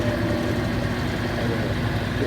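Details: Consul CWE15 washing machine after repair of a very loud noise, safety lock refitted and machine cleaned; steady, even low hum with a faint tone above it, drain pump running normally.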